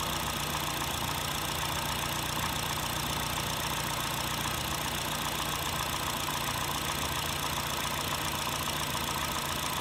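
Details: 2008 Honda Fit (Jazz) 1.5L, 120k miles, automatic non-CVT: fast, light rattle of three to four taps a second at warm idle. It is absent when cold and at higher rpm. Valves adjusted, no oil use, no check-engine light. Owner suspects piston slap; source unconfirmed.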